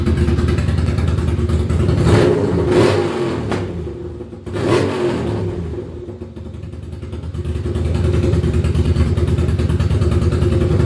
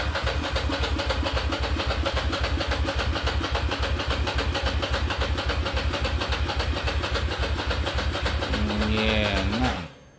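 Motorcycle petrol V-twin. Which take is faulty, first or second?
second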